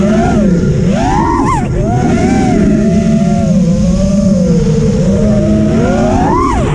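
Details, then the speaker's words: Rebuilt HaloRC Osiris quad with FETTec F7 and FETTec 35A ESCs, Gemfan 51433 props on 6S, filtering high: motor whine swoops with each throttle punch over a rough buzzy drone; oscillation under throttle, frame resonance suspected. "And now the issue that I'm having is more pronounced. You can see the jello when I'm hitting the throttle, and you can also hear the sound."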